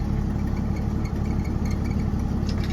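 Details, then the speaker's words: 1968 Chevrolet C20 pickup, 250 straight six with LMC three-piece exhaust, started after sitting all winter, running on old tank: low, steady, even rumble with no knocks or misses; quiet, normal idle. "I was surprised this truck sat all winter, because after the car show I ended up tucking it away, and I didn't even have to put gas in the car. Pretty quiet."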